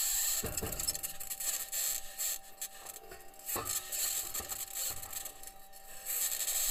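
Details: Perseverance rover driving in Jezero Crater, Mars, self-recorded: irregular dry scraping and creaking bursts over a faint steady hum as it rolls; squeaking and scraping while driving, source not pinned down, possible problem questioned.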